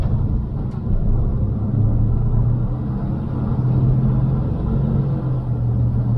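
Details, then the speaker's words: 1982 Chevy C10 V8, once seized and now revived, on a first drive in first and second gear, where the transmission slips into third: deep, even rumble under light throttle with no knocks or misses; normal engine running while driving. "Motor sounds good though. First and second gear is good."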